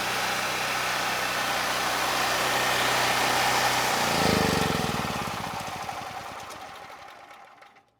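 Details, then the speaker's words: Generac GP-series generator engine running under a 3000 W load with fresh oil: it runs hard with a rough, gritty grind underneath, then winds down; there is no rod knock, and a bottom-end ball bearing or gear fault is suspected. "The bottom end doesn't sound great. It almost sounds like we have a bad ball bearing or potentially the gears are bad because the bottom end, it is making a lot of noise. kind of like a grinding noise."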